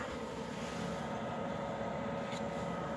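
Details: Externally mounted under-chassis Eberspächer/Webasto-type parking heater, about 2500 W, fully warm, hot air, startup white smoke gone; phone about 1 m away. Steady even blower roar with faint constant hum, no surging or popping; normal operation.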